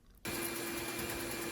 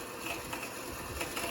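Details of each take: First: Bandsaw cutting hickory after swapping the coarse-tooth blade, which caught and chattered, for a narrower finer-tooth blade: steady hum and even hiss, still straining slightly but much better. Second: Bandsaw cutting a bowed hickory board, even at slower feed: rough, rattling cut with irregular catches as the blade catches and chatters in the hard wood; the blade later snapped and was changed.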